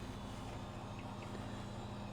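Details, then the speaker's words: Thrift-store HP Vectra V5 166 (Pentium 166) PC at power-up: steady low rough drone inside case, doesn't sound healthy; BIOS sees no hard drive, cause not identified. "That does not sound healthy in there. I'm hoping you can hear that."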